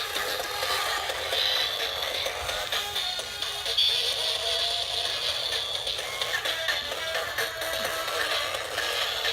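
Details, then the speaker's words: Robosapien V2 robot after repair: thin, tinny voice and music with no bass and harsh buzzy edge; speaker not blown but sounds wrong, possibly speaker or board. "if you can hear the speaker's weird like it it's not blown out it just doesn't sound right"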